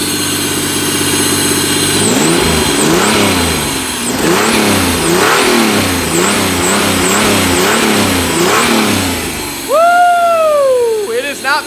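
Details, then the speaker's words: Pontiac Fiero after injector cleaning, new fuel system and distributor: throttle blips rise and fall cleanly with no miss, but idle hangs high from a vacuum leak. "that is what i'm talking about the fiero runs good it's got a vacuum leak it's idling a little high but it's clean"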